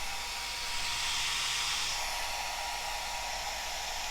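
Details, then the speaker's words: Cascade DS-925 hair dryer after repairing a no-heat fault (broken heating element connection crimped); cool button released, heat returns and temperature rises. Steady, even airy rush with smooth fan hum, no rattles or pitch wobble; running normally. "I'll let go of that immediately starts heating up again you can see the temperature rising again"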